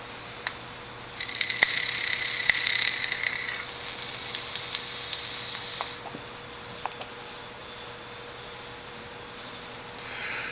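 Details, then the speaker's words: Zmax variable-wattage vape mod set to 7 watts, using pulse width modulation that checks the cartomizer's resistance every fraction of a second and adjusts power; thin high-pitched electronic buzz in short bursts, the normal "rattlesnake" pulsing of the power regulator. "So what it does is it does a pulse width modulation. So what it does is it tests the ohmage of your Cartomizer."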